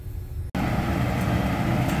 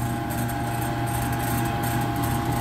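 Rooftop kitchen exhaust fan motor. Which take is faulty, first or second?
second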